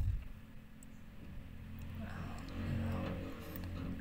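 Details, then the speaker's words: 2016 Toyota Vios, automatic, idling after an engine bay wash: quiet, steady low hum with no knocks, misses or rattles; no check engine light, engine runs normally. "So ayan mga kahimas, wala siyang check engine, normal ang makina."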